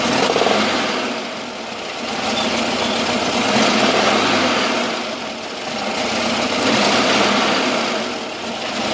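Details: VW camper 1600 twin-port air-cooled engine idling cold: slowly surging idle with a rattly knock that goes away when warmed up; not fan or alternator related, cause unknown.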